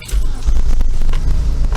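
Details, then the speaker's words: Mitsubishi TJ Magna with an ignition fault and no stored trouble codes, idling before a cylinder balance test: deep, lumpy idle with an uneven beat and occasional stumble; one cylinder is missing, running rough. "you can probably hear that it's running quite rough and there's a cylinder missing"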